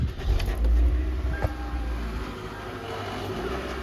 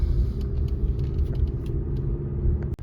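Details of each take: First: 2015 Toyota Venza: loud low rumble with a loose, uneven rattle from under the rear, easing as it slows; the rear heat shield is loose and touching the spinning rear axle; owner first feared the differential. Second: 2015 Toyota Venza driving after repairing the rear heat shield: smooth, low road rumble with no clanking or scraping, as the shield no longer rests on the spinning rear driveshaft.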